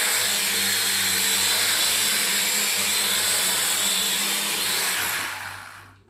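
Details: Drone that spins but wouldn't fly, after fix, remote connected, second try; high even whir from the small motors holding about five seconds then winding down cleanly, motors healthy.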